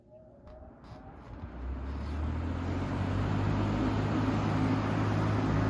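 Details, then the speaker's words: Vintage Air King PL20P two-speed box fan with dusty GE export motor, 2.7 amps, started on high speed: motor spins up into smooth steady low hum, no rattle or wobble; quiet, powerful, well balanced. "nice and quiet and powerful seems to be very well balanced"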